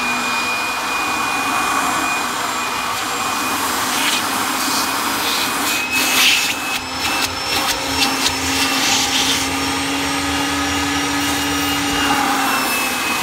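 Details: 1997 Kirby G5 upright vacuum with metal fan, hose and dusting brush attached: steady high airy roar with faint constant whistle, no rubbing or rattle; fan sounds like a vintage 500-series Kirby; normal motor running.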